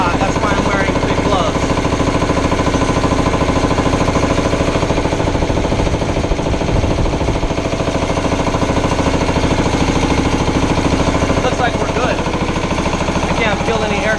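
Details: Air compressor test run after resealing the aluminium head's intercooler gaskets to fix an air leak: loud, steady mechanical pounding about two and a half beats a second, no hiss of escaping air; normal running.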